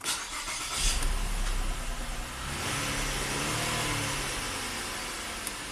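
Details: 2015 Mazda CX-9 after new #2 fuel injector and six NGK iridium plugs for P219B bank 2 air-fuel imbalance, battery disconnected: quick catch after brief crank, smooth steady idle, no stumble; fuel trims match, fixed.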